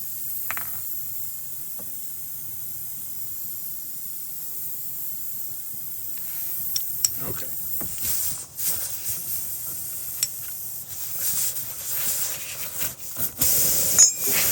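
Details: Tyre punctured by a nail or screw: a thin steady hiss of air escaping under clicks and tool handling. Air stops once a vulcanized rubber plug from a tyre repair kit is inserted.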